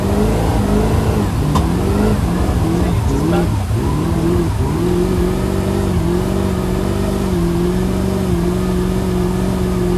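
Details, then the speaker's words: Mercruiser boat engine stalling and bucking under way for over a year. The engine note drops and surges unevenly, then settles. It was cured by replacing the hose to the blower motor so the blower worked properly. "But first, let's review what the boat was actually doing when it was stalling and bucking."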